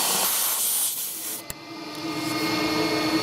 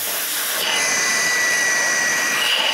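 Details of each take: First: GMC Envoy electric secondary air pump, code P0410, outlet line plugged back in: strained hissing rush that sags and labours instead of flowing freely; pump restricted, suggesting the diverter solenoid valve is not opening. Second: GMC Envoy electric secondary air pump, code P0410, outlet line unplugged: steady rushing hiss that opens up and grows freer with pressure release; pump moves air fine, while the diverter solenoid valve is stuck shut.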